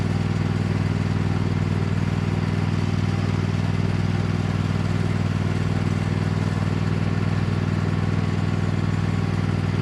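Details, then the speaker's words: Cub Cadet lawn tractor, badly neglected, running under load on a test drive after installing an aftermarket knockoff carburetor; steady single-cylinder beat about four firings a second, no surging or hunting. Runs far better than expected, normal. "Friends, I am absolutely shocked on how well this machine is running on this knockoff carburetor. The results are far beyond anything I could possibly have hoped for."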